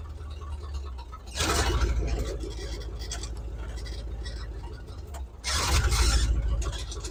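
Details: 1978 Chevy K10, 305 cu in small-block V8, reassembled with inline fuel filter; deep, even idle with two throttle blips settling smoothly, no stumble or miss, running right; thermostat possibly sticking.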